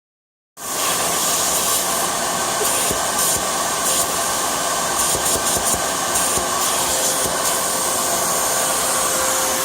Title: 2004 BMW X3 3.0i M54 air leak/hissing sound